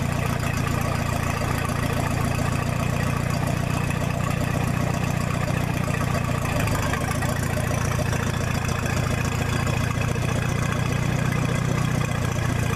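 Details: 1966 U302 after corrected rebuild issues, out under its own power: loud open-exhaust idle, steady even firing about four beats a second, no misses or knocks; normal healthy idle.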